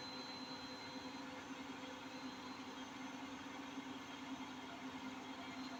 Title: My Hotpoint 8kg NSWM 843C INVERMOTOR 1400 Washing Machine doing a 1400RPM Spin with Bad Bearings